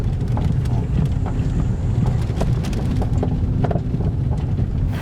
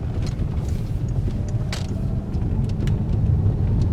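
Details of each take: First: Peugeot 3008 with THP engine on a road test; irregular dull knocks from the front suspension over bumps under road and wind rumble, a worn upper strut mount. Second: Peugeot 3008 THP on a road test after the suspension repair: steady low road rumble with no knocks or clunks; the earlier suspension banging is gone.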